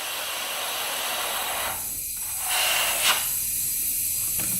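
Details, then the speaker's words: 2001 Honda 400EX engine not running, under a 20 psi leakdown test: a steady hiss of air escapes at the exhaust, pointing to a bent exhaust valve; a little leakage at the intake too. "yep and you can hear it coming from the exhaust here so we've got a bent exhaust"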